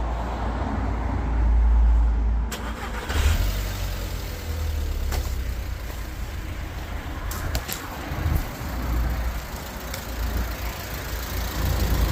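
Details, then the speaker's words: 23-year-old Audi TT 1.8T BAM 225: it lost oil with the oil light on and loud ticking on the drive home, and was restarted on the driveway. It fires and settles into an even, low running note with no knocking. Normal running. "running no crazy sound might not be blown up because that it's not making scary noises anymore"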